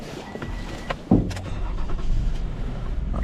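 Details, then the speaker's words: 2015 Toyota Sienna that had been a crank no-start, restarted while being scoped: quiet, then sharp catch as engine fires and settles into steady, even low rumble; normal start and idle. "it run. It's still working fine."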